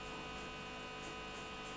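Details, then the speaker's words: Amplifier with cooling fan: constant low hum with a faint buzz when the fan line is connected. Ground loop, as the fan's USB supply ground mingles with the amplifier output ground. "இப்ப எடுத்துறேன் பாருங்க ஏதோ motor boat on ஆகுற மாதிரி ஒரு sound வருதுங்களா இதுக்கு காரணம் என்னன்னா நம்ம பார்த்தீங்கன்னா நான் வந்து இந்த 712 ல இருந்தே அவுட் எடுத்தோம்னா அந்த மாதிரி வருது usb யோடது ஒன்னா கலக்குது அது ரெண்டும் கிரவுண்ட் ரெண்டும் மிங்கில் வரதுனால அந்த மாதிரி சவுண்ட் வருது"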